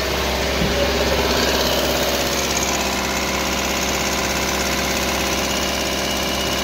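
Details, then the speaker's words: Mahindra Bolero BS6 pickup diesel with DPF soot mass very high, forced regeneration via scan tool after refitting silencer: steady, slightly raised idle with even clatter, no misses during regeneration. "Radiation चालू हो गया, अब चलेगा radiation. कब तक चलेगा देखना है।"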